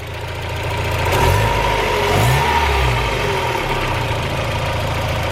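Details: 1991 Mazda Miata 1.6L warm idle with newly installed cheap aftermarket headers replacing cracked, leaking stock ones, stock intake; low, even burble with no ticking or puffing from the manifold side, quiet and healthy engine.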